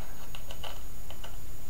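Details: Homemade static "lightning motor" powered by a 1.5 V battery: sharp dry spark-gap ticks in uneven clusters, firing intermittently; when it doesn't jump the gap it is arcing inside, and gap not set just right.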